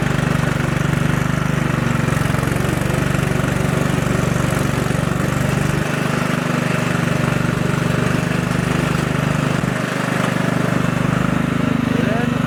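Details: 1999 Husqvarna YTH 150 riding mower/yard tractor, heavily maintained: steady even low idle drone with smooth unchanging rhythm, no knocks or misses; runs healthy.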